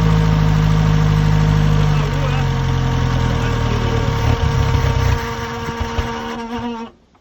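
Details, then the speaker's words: 1928 Chevy truck on first start after setting timing; steady low drone with a faint whirring on top, then fades and dies; crew unsure, suspecting the generator making the noise. "What's that noise? Could be the generator making... Yeah. Yeah. I'm not liking this."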